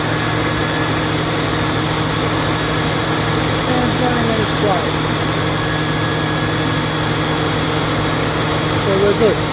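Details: 2002 Mustang GT after radiator fan replacement (Dorman 620-139), idling with AC on: steady whir with an even hum, no ticking or slapping from the blades; earlier cracked-blade noise gone, fan healthy.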